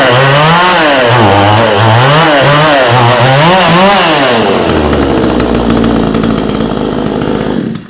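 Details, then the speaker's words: Vevor 62cc/58cc budget chainsaw after spark plug regap, compression and air cleaner checks, before carb high-side adjustment: revs surge and sag unevenly, hunting several times a second before dropping to low idle. Engine bogging, carb tuning suspected. "I will tell you, this thing's a little boggy now that I've adjusted that spark plug, redid that gap."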